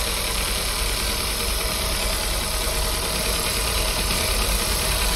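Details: Audi, 171,000 km, warmed up, winter: uneven stumbling idle with irregular shake, no steady beat, engine later stalls; scanner reports misfires on cylinders 4 and 2, cylinder 3 spark good, traced to a faulty injector.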